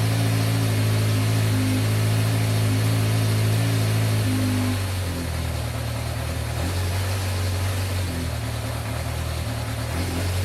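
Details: 1986 Yamaha FZ600 four-cylinder, first running after 15–20 years sitting, fresh oil, newly fuelled carbs: even, steady idle settling to a slightly lower, smooth beat after a few seconds; running healthily.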